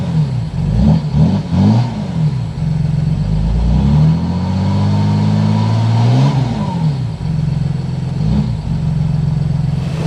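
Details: 2008 Mercedes-Benz GL320 CDI diesel after muffler delete: loud, deep exhaust note rising and falling smoothly through several revs, then settling to an even idle; engine sounds healthy.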